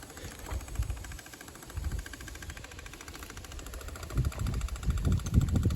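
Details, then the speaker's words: 12-valve engine cranking steadily with compression chuffs about three a second and no firing while bleeding air from fuel lines; no fuel reaches the bleed point, air leak suspected, cause unconfirmed. "I was hoping it would push fuel so I can see where the air leak's coming from, then just replace what line it is. But it's not letting me get fuel to that air leak for whatever reason,"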